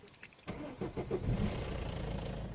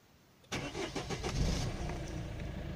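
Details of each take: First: Citroën C5 1.6 HDi 110 diesel at cold start: starter cranks, then a few quick clattery knocks as it catches before settling to idle; owner says a separate idle clicking seems to come from the injectors; cause not confirmed; rattle at cold start. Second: Citroën C5 1.6 HDi 110 diesel at 190,000 km, after replacing both camshafts (used) over suspected tappet noise, startup: quick crank catches cleanly, settles into an even diesel idle; start-up noise and idle clicking gone, healthy cold start.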